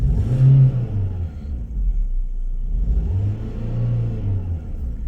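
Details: Renault petrol engine after replacing a cheap aftermarket fuel pump with a genuine used one; it had idled fine but misfired on revs from lack of fuel. Now blipped twice, rising and falling smoothly with no stumble or popping: normal clean revving.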